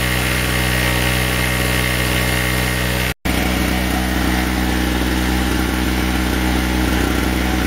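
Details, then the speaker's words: Chicago Electric (Harbor Freight) 800 W generator after a new spark plug, under about 700 W load (100 W bulb plus electric heater on low); steady even buzz with no surging or hunting; normal running under load. "I've got about 700 700 Watts on it seems to be running great to me"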